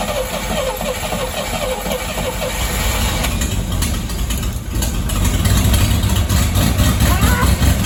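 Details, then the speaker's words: 1959 Rambler with the 195 inline six and automatic transmission, parked for years, at its first start: it catches and settles to a steady, even low idle with a soft regular beat and no misses or knocks. "wow look at that i can't believe it sounds good it it bought me all that time and it's just gonna crank up and sit here and idle that is crazy"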